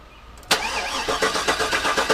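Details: Garage-rebuilt GM LS engine, cranked repeatedly to try to prime the oil pump, which was forgotten before installation: steady starter grinding rhythm that never catches. No oil pressure builds.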